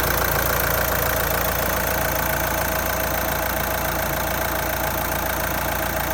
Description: Qashqai J11 1.6 DCI 130 215000 km Engine noise after injectors cleaning R9M